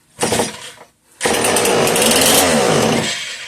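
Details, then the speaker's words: Homelite 150 chainsaw: rope pull with an odd sound, then a ragged two-stroke burst of about two seconds that fades and dies; fuel pouring out, owner suspects a bad crank seal. "She tried. Something sounds a little funny when pulling it. When pulling the rope. Can't quite place what that sound would be."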